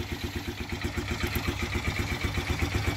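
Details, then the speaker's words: 2018 Polaris Phoenix 200 ATV just started after the dealer's fix for stalling and no-start: steady, even low thump about four times a second, no misses or rattles; normal idle. "like a baby running like she should"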